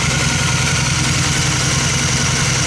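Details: 2002 Honda Magna after carburetor rebuild/clean and new fuel filter and line, first warming up after start: smooth, even idle with steady low pulse, no ticks or knocks; normal idle.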